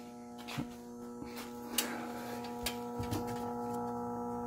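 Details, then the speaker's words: 1975 Gottlieb Atlantis pinball machine, first game after storage: constant one-pitch electrical buzz with a few sharp clicks; a coil stuck energised, possibly a chime or score reel, source unconfirmed. Coil buzzing from locked-on unit. "oh i don't know if that's a chime locked on or not i hear some buzzing still sounds like buzzing"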